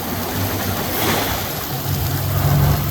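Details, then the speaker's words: 1976 Ford Bronco V8 with automatic transmission, running during its tear-down, with working kickdown: a deep, even rumble with a steady beat, picking up smoothly with no misses. Running cleanly on all 8 cylinders. "Engine's pretty smooth. We're now hitting on all 8 cylinders."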